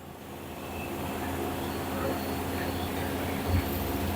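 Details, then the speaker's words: Ariston washing machine after fixing F11 error caused by a faulty drain pump, final spin ramping toward its 1,400 rpm maximum: steady rising rush of the drum spinning up, smooth with no knocking or scraping; runs without error. "the machine is running well RPM also is increasing now 1,400 is maximum rpm it will come now"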